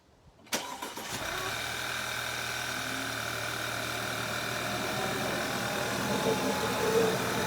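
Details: 2011 Audi A5 2.0 TFSI cold start: engine catches after brief crank, settles to steady idle with loud hollow vacuum-cleaner-like air hiss, only on first cold start; drives fine hard; cause unknown.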